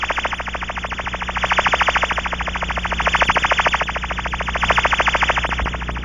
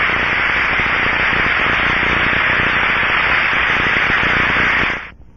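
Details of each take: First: Pressurized aircraft cabin with an ultrasonic warble tone generator inside. The Ultraprobe scanning the outside of the hull picks up a steady fast warble at one spot, marking a cabin seal leak. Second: Ultraprobe 2000 ultrasound headphone sound of a bearing: smooth, even rushing hiss with no crackle or clicks, a good healthy bearing.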